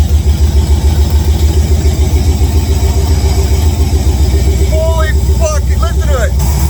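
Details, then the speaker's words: Chevrolet Tahoe V8 running for the first time after its wiring was redone: a deep, steady burble holding an even idle with no misses, knocks or ticks; a healthy normal idle. "I am getting excited I am stoked it ran guys it runs we got it running a little bit smoother"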